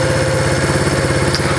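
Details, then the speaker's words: Project Yamaha SR250 single, warmed up after ride: quick even thumping holding a fast steady idle, higher than when cold; owner feels something needs adjustment, unsure, maybe normal; cause not confirmed. "something needs adjustment i feel like because no it's warmed up the idle's way higher i mean i guess it's pretty normal but"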